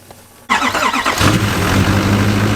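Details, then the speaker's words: 2017-2024 Duramax L5P diesel, first start after installing an RDS 64mm turbo, heard from the driver's (hot) side: short crank with quick chuffs, fires and settles into a smooth steady idle, no knocks or misses; normal start, then checked for leaks. "So this is our first startup right here on the hot side, so the driver's side of the motor."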